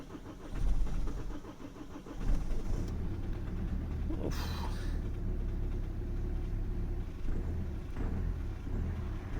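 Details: Kia Sportage or Hyundai Tucson diesel: after preheating, the starter turns briefly and it catches into a low, rough, labouring idle. It smokes and stinks once started, a sluggish hard cold start.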